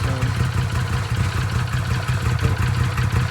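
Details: Arctic Cat Wildcat 1000/X side-by-side after starter gear upgrade and starter boss reinforcement: steady, even low idle with smooth deep beat, no knocks or rattles; engine running healthy.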